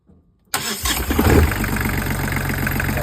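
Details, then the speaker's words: New Volvo Penta D1-30 marine diesel on a sailboat, start via the electronic panel: brief crank, fires at once and settles to a steady, even idle; a healthy start, cooling water flowing immediately. "That is gorgeous. And it's a good engine then. It's a very good engine."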